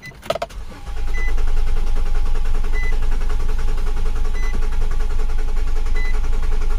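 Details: 2008 Nissan Quest 3.5L with codes U1000 and P0726: long steady crank with a loud constant hum over the starter, never catches; crank no start, fuel pump noted as loud.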